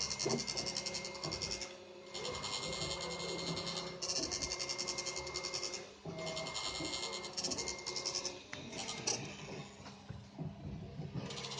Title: Y-axis making noise on my new Prusa I3 mk2